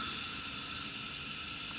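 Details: Karmann Ghia with Audi TT 1.8T 20v APX engine and K04 turbo, engine off, intake pressure-tested above about 20 psi running boost: steady high, sharp hiss of air escaping through the diverter valve body; diverter valve leaking air.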